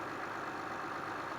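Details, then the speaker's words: Honda/Acura engine on an ice-cold start after replacing the ignition coils and cleaning the throttle body: a quiet, smooth, even idle with no misfire or shake, where before it was louder with vibration at stop lights. "the engine actually does it sounds a lot better after using after replacing the ignition coil definitely sounds quieter before the engine was a lot louder and it shaked a little bit more"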